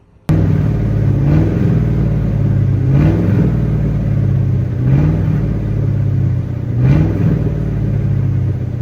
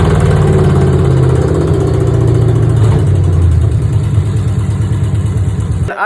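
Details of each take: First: V8 car before long-tube headers were fitted, still running kind of messed up: deep rumble that lopes unevenly, with a short rising surge about every two seconds; rough running, cause not pinned down. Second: V8 car after fitting new long-tube headers replacing old rusted ones: deep, lumpy burble holding steady with even exhaust pulses and no clear knock; runs way healthier, owner suspects a driver-side cap had been clogging.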